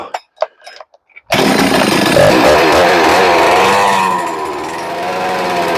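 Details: Rebuilt ported, decked Husqvarna 394XP chainsaw: a few quiet knocks then catches, screams at high revs, settles to clean steady buzz with crisp throttle response; normal running, idle needs turning up.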